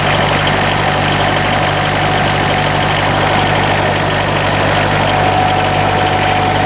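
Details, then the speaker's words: Bobcat 743 diesel after replacing all four glow plugs, started with extra glow plug time, owner suspecting air in the fuel lines: steady, even idle with a constant low drone and no misses, knocks or hunting; running smoothly. "There She Goes she's a runner she is a runner"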